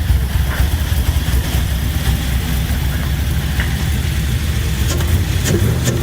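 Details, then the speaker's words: LS-swapped Chevy C10 after new lifters were installed and head gaskets and heads reinstalled to fix loud tapping: deep even V8 rumble, no tapping, oil pressure about 50; normal running. "i think sounds real good now oil pressure's right about 50."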